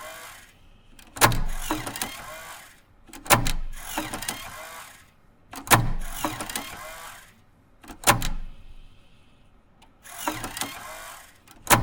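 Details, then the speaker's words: Apple SuperDrive 1.44MB floppy (Sony MFD-75W) after replacing the broken eject gear and Molykote EM-30L lube: five clean eject cycles about two seconds apart, sharp snap then smooth whir, no grinding; slightly different but not louder sound. "there might be a slight difference because the shape of the gear is slightly different but it's not necessarily a bad or louder sound it's just slightly different"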